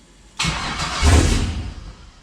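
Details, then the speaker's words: Chevy CUCV at the first start of its new 6.0 engine, coolant system not yet connected. The starter cranks, it catches briefly, then dies. Owner suspects an incomplete PCM tune write (only parameters rewritten in HP Tuners); unconfirmed. "we got fuel we got something Oh close and once to maybe a little bit of throttle oh she's close I'm starting to think I missed something in my MI tune"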